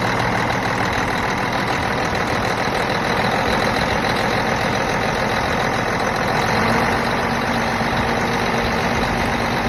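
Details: Cummins ISX diesel after a new fuel pump head was installed. The fault had been code 559, low fuel rail pressure (SPN157 FMI18), with a check engine light going uphill. Now a steady, uniform idle clatter with no stumbling, hunting or misses; running normally.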